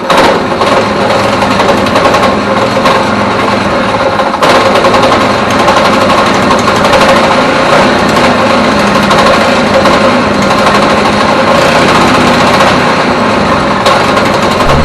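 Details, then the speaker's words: Neglected go-kart single-cylinder engine, freshly fuelled with petrol and oil, running rough only on choke, with a loose, irregular knock over exhaust rattle; sounds like rod knock but suspected worn, sloppy clutch drum, to be replaced. "what it sounds like it's got a rod knock but um the clutch is very sloppy I'll bring you around and show you that in a second I think it might be the clutch"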